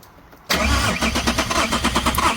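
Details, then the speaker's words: BMW 330d with M57 diesel, blown turbo and suspected melted pistons, cranked with fuel disconnected: cranking starts sharply, but the beat is lumpy, with some strokes weaker. Low compression on two or three cylinders. "oh she's down on I got she's down on a couple of cogs two cylinders down I count that 1 2 3 1 2 3 1 2 3 it's down on two or three cylinder"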